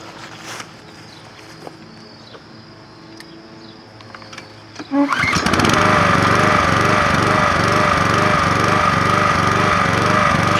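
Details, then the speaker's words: Repaired Troy-Bilt Professional pressure washer starting with the sprayer hooked up: quiet at first, then it catches and settles into a steady, even drone with no misses or surging. Runs healthy and sprays fine. "we now have a working power washer so check this out and we'll start it up and check out the sprayer it works perfect"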